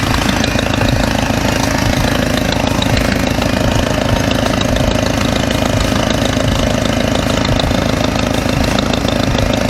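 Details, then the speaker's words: Mercedes W202 idling after a stainless steel header install: a fast, sharp puffing tick of about three per second over the engine hum, sounding like an exhaust leak; owner suspects a cracked header gasket. "ah you kind of still hear it sounds almost like i have an exhausting like there's a almost like the uh the gasket is [ __ ] cracked"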